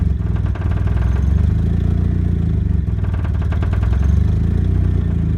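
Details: Turbo 1994 Mazda Miata, just bought: loud, lumpy idle with an uneven pulsing beat that sags and surges, nearly stalling at stops. The turbo-side exhaust manifold leaks heavily, and the owner suspects suffocation. Cause unconfirmed.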